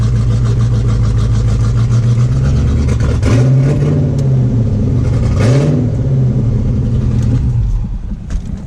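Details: C4 Corvette after replacing the plastic brake booster with a steel one, fixing a vacuum leak: deep, steady engine note rising and falling smoothly with throttle, no stumbles or hissing. Healthy engine, vacuum leak gone.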